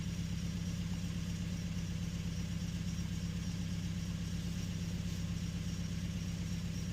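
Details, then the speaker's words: 2011 Nissan Frontier 2.5 with P0300 random misfire, cylinder 3 misfiring: steady idle with a regular stumble about every two thirds of a second, a lopsided beat; compression checked good, cause still under diagnosis. "All right, we got a 2011 Frontier with the misfire. Cylinder three is misfirmed."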